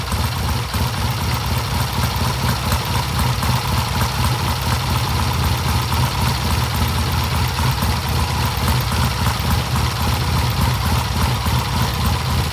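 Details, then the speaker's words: 1967 Triumph vintage bike: deep, even idle burble, no misses, knocks or rattles; good idle and rev, running healthy. "And we got a good idle. We got a good rev. The bike sounds good."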